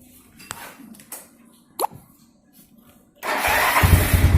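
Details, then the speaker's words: Yamaha Mio Sporty just started after fitting Daytona carbon kevlar CVT clutch shoes, replacing worn, unevenly worn original shoes that slipped: a few light clicks, then an even run with no rattle or grinding from the CVT. Healthy. "Oke, untuk suara juga di area CVT juga tidak ada suara yang mengganggu."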